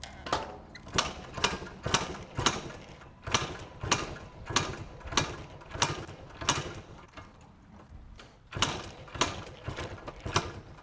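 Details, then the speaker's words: 1990 Yamaha RT180, gas and choke on: about a dozen kickstart strokes, quick ratchet and whoosh each, never catches or fires. "Gas is on. Choke is on. >> I think the gas is on. Something Let's pause. Something doesn't even sound close to starting."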